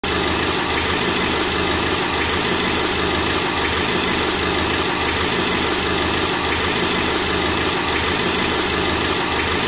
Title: The squeaking sound of a car engine when the engine is turned on